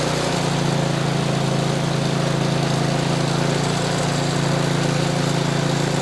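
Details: Ariens Platinum 24 snowblower, Briggs & Stratton 15C134 type 2143-F8, after carburetor replacement (old carb went bad from disuse), throttle about half: steady, even drone with no surging, misses or hunting, running smoothly.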